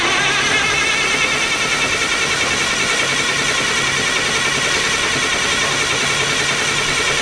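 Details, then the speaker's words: Perkins 2806 electronic diesel engine on a 600 kVA generator, 24 V battery good, fuel connected: starter churns steadily three to four beats a second but never fires; blown fuse cutting ECM relay supply. "now as you can see only the engine is only cranking so first thing you have to think why it's not running"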